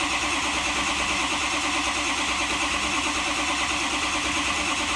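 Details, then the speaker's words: 2005 Ford 6.0L diesel (F-250/F-350) that died while driving: starter cranks steadily with no attempt to fire, IPR maxed, ICP desired 1500 psi but only about 103 psi while cranking; failed high-pressure oil pump suspected. "that tells me my pump is probably died"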